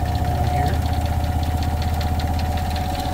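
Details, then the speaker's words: Heavy low spin rumble with a steady hum and quick rattling taps, about four per second: the washer in a 2022 Rockwood fifth-wheel RV vibrates at high-speed spin, shaking both closet doors, which rattle even when latched. "the doors both of them making noise and that is definitely high speed at this point both of these are actually making noise now so you can hear even with them latched"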